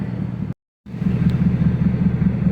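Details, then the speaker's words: 4.6 L V8 idling with a lumpy, uneven exhaust beat, still misfiring on cylinders seven and eight after a 20-minute drive; owner also reports low oil pressure and a four-foot exhaust flame. "this thing's definitely still misfiring on like seven and eight"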